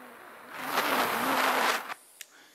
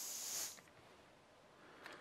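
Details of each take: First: Cheap AliExpress butane jet/torch lighter: a click, then a steady hard hiss for about a second before it cuts off; the jet flame burns normally. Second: Cheap AliExpress butane jet lighter at highest flame setting: short sharp high hiss then near silence; gas leaks from the lighter when set very high.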